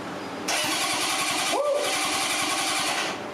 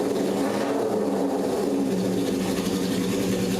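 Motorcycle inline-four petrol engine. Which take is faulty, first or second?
first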